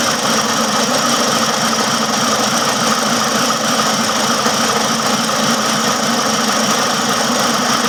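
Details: Fast, loosely regular tapping, roughly three per second, over a hissy engine run; engine knocking noise, cause not clear.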